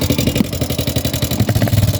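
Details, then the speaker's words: Yamaha Sniper 150 before teardown, excessive engine noise that several shops could not trace, also frequent check-engine light: heavy, rough thumping pulses over a lumpy idle and rev, much harsher than a healthy single; cause still unknown. "Tapos sobrang ingay ng makina yan bago natin kalasin mga bro bago ko ito kalas paparinig ko muna sa inyo"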